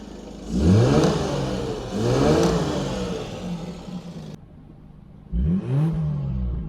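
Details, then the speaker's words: British Leyland Princess 2200 automatic with throttle and choke cables just fixed, now starting instantly; engine picks up crisply through a couple of blips and drops back cleanly, no knocks or rattles; normal healthy revving. "so with that working it's really easy to fire up and it is sounding pretty nice"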